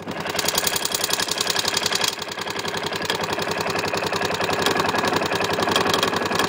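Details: LC4 single-cylinder running, with sharp, even ticking at roughly four per second. It comes from the manual decompressor, which was not adjusted after reassembly.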